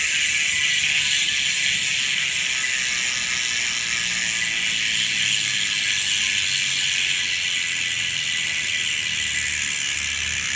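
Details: Ultrateam 2018 Ceramic wheelset freehub (6 ceramic bearings front and rear, carbon rim, Pillar spokes), coasting: fine, fast, even ticking, high smooth buzz without grinding or rough patches; normal freehub ratchet, pawls working properly.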